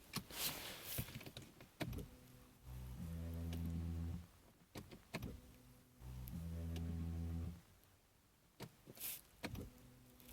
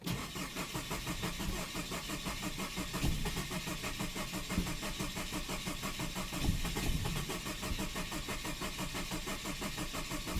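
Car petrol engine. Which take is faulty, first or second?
second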